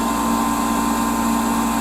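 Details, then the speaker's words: Torpedo heater (Century/ProTemp) running with its cover off, pump pressure reading high against the 3 psi spec: steady fan-motor drone and pump tone but no flame whoosh. The heater runs but does not ignite. "is supposed to be three pounds which it's it's crazy high but it did not ignite Let's uh see what else could be possibly wrong"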